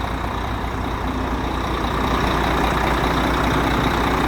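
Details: Volvo FH13 truck diesel idling after knocking-engine repair, gear, bearings and seal refitted: steady, even low rumble with no knock, the knock sound gone; normal idle.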